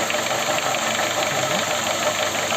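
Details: Honda Fit with L13A engine: light, even tapping over a steady idle with no speed change; knocking at idle, source not pinned down.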